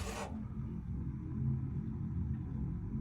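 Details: Motorhome gas appliance just lit after the pilot flame warmed up: brief rush then soft steady low rumble with no popping or flutter; main burner lit and burning evenly.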